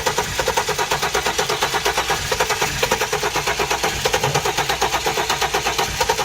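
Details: Flood-damaged 2016 Hyundai Genesis, crankshaft position sensor signal suspect and replacement sensor tried: starter churns the engine at an even beat, about six a second, but it never fires; cranks, won't start.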